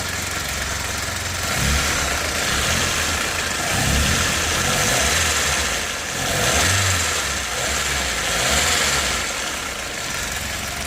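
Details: Nissan Primera P10 1.6L GA16DS carbureted 97 hp, engine warm: steady even hum with gentle low pulse, no knocks or misses; normal warm idle; cold-start stalling blamed on a damaged valve, not the autochoke.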